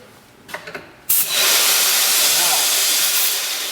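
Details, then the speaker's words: Rebuilt Akron pump valve under an air test, after the pump sent water back out to the source instead of into the tank: a steady, loud hiss starts abruptly as air leaks through the valve around the ball instead of sealing. "doubt about it it's coming through the valves okay that's weird okay well it's coming through the valve is coming right around the ball"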